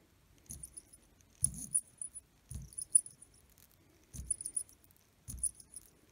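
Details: ETA calibre 2772 watch movement: dry scraping rattles in short bursts about once a second as the rotor swings, a noisy oscillating weight plain bearing.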